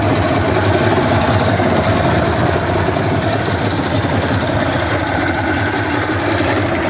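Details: Johnson 150 hp outboard with loose, uneven rattle coming and going over steady drone; started two weeks ago at wide-open throttle, louder at higher rpm; cause unknown.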